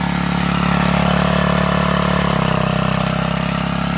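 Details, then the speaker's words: 3.5 hp gas engine belt-driving a GM alternator as a 12 V battery charger; switching the alternator on makes the engine note drop slightly as it bogs under load; normal load bog. "once it started if i go flip that switch you'll hear the motor bog down a little bit because that's going to then energize the alternator"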